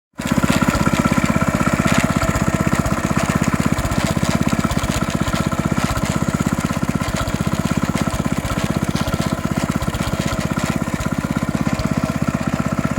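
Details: 14-year-old Honda GX160 single-cylinder engine, starting and running well with no smoke, clean oil and good compression, with a rapid, uneven internal rattle or grind on every firing stroke; cause not found.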